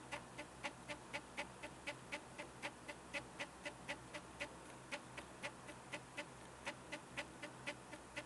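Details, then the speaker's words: Stepper motor pulsed manually by one wire: sharp, even clicks about two a second, one per pulse, with no steady rotation; the motor jerks both ways by varying amounts, and a second motor does the same; erratic stepping, cause unknown. "so each time you hear that noise that's when I'm pulsing this wire but again it's certainly not going in One Direction it's going kind of however it it wants to"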